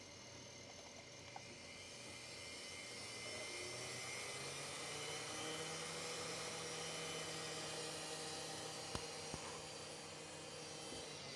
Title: CD drive making screeching sounds.